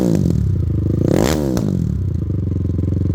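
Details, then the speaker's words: Honda 450R ATV, freshly built big-bore engine with ported head, 0.1 hours, not broken in, still warming up: loud barking single-cylinder exhaust; revs blip up and settle back to an even, steady beat; normal engine running. "Still warming up, but my gosh, does that have a bark. My hopes of having a mildly quiet machine are, they've been shattered, to say the least. I mean, it sounds like a 450 does, for sure."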